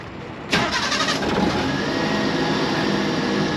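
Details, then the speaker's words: Mini truck after a spark plug change: a quick crank catches at once, flares, then settles to a steady, even idle with no smoke. Starts and runs cleanly. "purr like a kitten man what do you think buddy"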